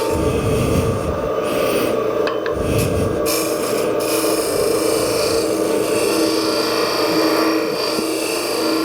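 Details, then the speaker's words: Woodturning a tulip bowl, negative rake scraper deep inside the bowl: sustained high squealing with rough scraping; chatter from cutting too broad a surface across the scraper's edge. "did you hear it begin to chatter at one point it did that because I was cutting wood on too broad a surface across the cutting edge of the scraper"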